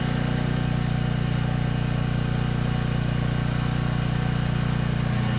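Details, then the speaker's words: Upgraded small single-cylinder generator engine running steady and even at constant speed, no misses or surging; now delivers a full 30 amps at 220 volts versus 15 amps before, and no longer needs choke. Normal running. "It works much better than when I last touched it. I'm getting a full 30 amps, 220 volts compared to the 15 amps that I was getting last time, and I no longer have to run it on choke."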